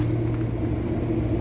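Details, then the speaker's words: Restaurant kitchen AC unit with oil return problem: steady low compressor hum with faint irregular pops, second compressor popping and shaking; internal failure or phase reversal suspected, unconfirmed. "that scared the crap out of me that compressor was straight popping and shaking"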